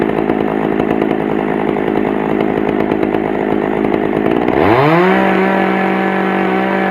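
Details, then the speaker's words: Pioneer P41 chainsaw after carburettor cleaning and adjustment: holds a steady crisp buzz, then revs up cleanly and settles at an even high speed without stumbling; starts easily and runs healthy. "oh so there you go she's up and running i adjusted to where i like it"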